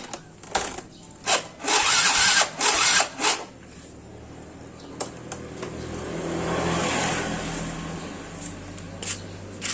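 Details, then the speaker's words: Yamaha Mio Soul GT scooter, unused for several days and won't start, cranked after a spark plug replacement: several short starter bursts with no catch, then a weak rising run after more cranking; still not starting, oil checked normal. "Ternyata masih belum hidup."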